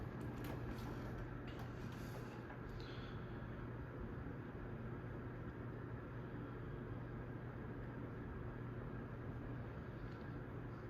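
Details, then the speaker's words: Litex Gaskin 24-inch ceiling fan on high: steady low drone with a rough rumbling whir, about half blade noise and half new-bearing noise, plus a small hum; the bearings quieted down after more use. "Now, of course, some of the noise you're hearing is the blades waring around, but half of that noise is the bearings."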